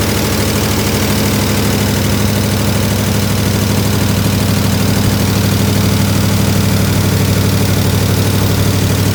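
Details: 1967 IH Loadstar 1600 shop truck during an overhaul, just started: a steady, even V8 idle with a firm low rumble at about three beats per second and no misses. A little tapping was noted, possibly from the exhaust; the choke was being checked.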